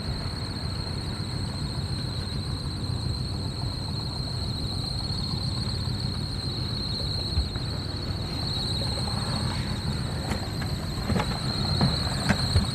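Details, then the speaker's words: Trane rooftop unit blower on restored 24 V control power (transformer's 3 amp resettable fuse had tripped): constant high-pitched squeal over steady fan rumble from a worn, slipping blower belt needing replacement. "you're gonna need a belt that's for sure"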